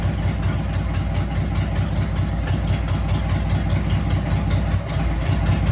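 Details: Harley-Davidson Sportster 883 converted to 1200 with Wiseco pistons, rings and cylinders, first start after rebuild during heat cycle, 79 degrees, 105 on the pipe: lumpy, loping V-twin idle with deep exhaust, no knocks or rattles; normal idle.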